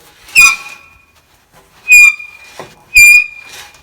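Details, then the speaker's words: Mayrath grain system auger with the shaft separated and turned by hand: sharp, high squeaks in three bursts from a dry, worn bushing that needs repair. "so there's our squealing noise so there's our next job"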